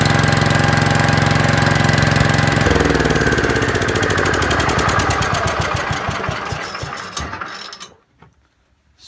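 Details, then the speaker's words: 5665 tractor after a carburetor rebuild for gas leaking from the carb; it had been running way too rich and the main jet was opened up. Even, steady chugging that dies when switched off; normal running. "did the trick and actually saw the other issue it was running way too rich"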